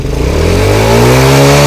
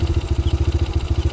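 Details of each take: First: Honda Grand motorcycle after replacing regulator-rectifier, camshaft and rocker arms: revs up smoothly, pitch climbing and holding before dropping back, strong even pull, no stumble; headlight bulb no longer blows; slight cam chain noise remains; normal revving. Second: Honda Grand Max motorcycle after replacing the regulator, camshaft and rocker arms: even idle, now smoother, with a light, quick ticking rattle on top; slightly worn cam chain left unreplaced by the owner.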